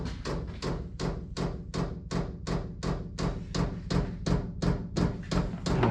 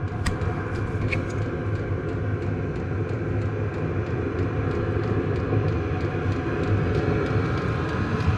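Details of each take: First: Cheap Chinese diesel heater just installed in a 2006 Nissan Frontier, dosing pump priming and running at first start: sharp, very regular loud metallic ticking, nearly three per second, echoing along the fuel line like tapping; pump mounting needs quieting. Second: 2006 Nissan Frontier with a cheap Chinese diesel heater: after the glow plug shuts off, the fan speeds to full with a loud, even jet-like roar and light regular fuel-pump ticking, around 74 dB, blowing hot air; normal running.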